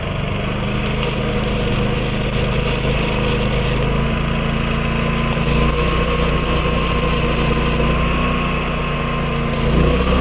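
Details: New Predator 11,500 W inverter generator powering a Chinese inverter welder: a steady-pitch drone with arc crackle coming and going, barely sagging. The owner notes only the noise level; it runs normally under welding load.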